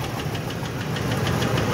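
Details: Ford F-150 with rough running, bad coil packs, leaking intake gaskets and coolant in plug bores: sharp, rapid metallic tapping over idle follows engine speed; incorrect overlong spark plug striking the piston, combustion chamber damaged, engine needs replacing.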